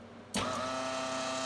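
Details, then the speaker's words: Sealy SuperMig 150 welder after repair of the wire-feed motor control PCB (shorted bridge rectifier replaced with four 1A 200V diodes), trigger pressed: motor spins up instantly to a steady even hum and clean whine at full speed, no stutter; running normally. "you can hear the motor so there we go now the motor's at full speed at the moment to stay on"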